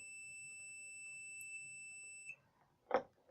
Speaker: ये देखिए इसका मतलब इसका मतलब हमारा वायर जो है वो एकदम ठीक है। अगर ये वायर कहीं कट होता तो ये बीप नहीं बचता।